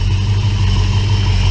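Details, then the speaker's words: 1966 Plymouth Belvedere 440 Mopar V8 after FiTech EFI install: deep, smooth low rumble with a slight rise on a light blip, no ticking or knocking; quiet, healthy running. "but this here is not even noisy or anything is it's really quiet"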